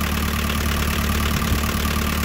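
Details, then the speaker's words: JCB 208S backhoe diesel, sat for years, after injector pump removal and rebuild with lines bled: deep steady idle rumble, even beat, no misfire or stumbling; running cleanly, some fuel leaks remain. "man it sounds good"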